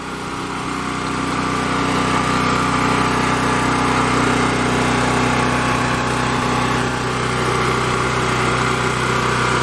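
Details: Champion 3500-watt portable generator with a 196cc engine, restarted with choke after sitting a while: a loud, steady single-cylinder drone at constant speed with no surging, misses or knocks, running smoothly and normally.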